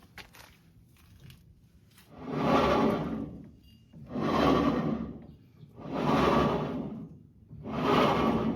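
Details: 2005–2007 Ford Ranger 4.0L 4x4 rear differential turned by hand: slow, rough grinding swelling with each rotation, earlier a whine when driving; fluid present, worn pinion bearing suspected, not confirmed.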